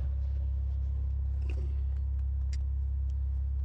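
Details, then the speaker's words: 2002 Saturn L200, was a crank-no-start with no module communication, now running after cleaning corrosion: steady, even low idle hum with no knocks, misses or surging; runs normally, though something still jumps around a little and a new BCM is suggested. "it's not great it's not perfect like it's still jumping around a little bit but at least the car starts and runs"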